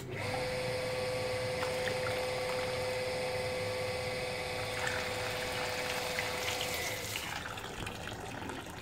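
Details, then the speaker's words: Water pump with the foot valve removed and suction leaked: motor hums with steady whine while water gurgles and trickles, delay of several seconds as pump re-primes drawing water from below; loss of prime. "ternyata pompa ini melakukan proses pemancingan ulang yaitu menghisap dari bawah sehingga tadi ada delaynya beberapa detik"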